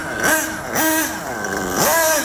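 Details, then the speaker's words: Nitro RC car engine with the low-speed needle set very rich: labored low idle, lazy soft burbling blips, lots of blue smoke and almost no acceleration, nearly cutting out. "very rich setting lots of smoke and pretty much no acceleration I can't even get the wheels I can't I can't even do donuts"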